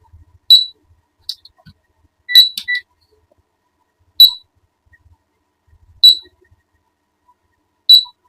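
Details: 12 V AC/DC fan on its circuit board: sharp high beeps about every two seconds with no motor sound; fan alarms instead of spinning, IC, MOSFET or resistor fault suspected, not confirmed.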